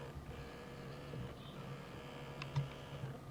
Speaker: the zoom does not work as i said it would appear that if it's gone autofocus that is also not working yep so the focus also does not work oh just cannot focus on that particular object i can hear everything kind of whirring on the inside